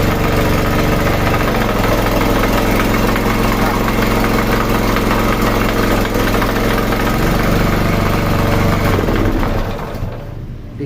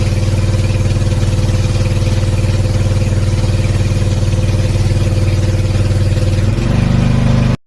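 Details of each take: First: Sanchin 30 steam sprayer pump before repair: heavy, fairly steady knock about four times a second while running, dying away at shutdown; suspected loose crankshaft bearing (left or right) or connecting rod. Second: Sanchin 30 pressure washer pump after bearing repair and refilling about half a liter of oil to cover the crankshaft: steady, even low chugging without knocking until it revs and shuts off; normal running.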